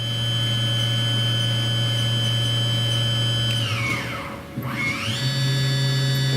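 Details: Haas VF3 CNC vertical machining center, solid spindle, warmed up after spindle drive repair, stepping through speeds around 7,000 rpm; clean steady whine sliding down and climbing to new pitch, no roughness; normal spindle running.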